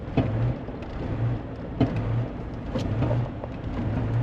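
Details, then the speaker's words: 1991 Range Rover Classic Hunter, not driven in years, being driven to the shop with the pedal floored. A low, labored drone with uneven surges never pulls cleanly; loss of power under load. "But, oh, okay, now we got issues. Where are we going? Go left. Yep, got a little, yep, oh, we're pushing the foot pedal down, feet. She's floored."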